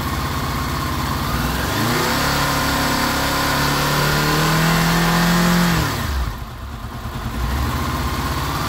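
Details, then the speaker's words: Honda VFR800 VTEC V4 (58,200 mileage) warmed up after cam chain replacement, revved up smoothly and back to idle; clean even note without knock or chain rattle. "сейчас мы попробуем немножечко поднять обороты"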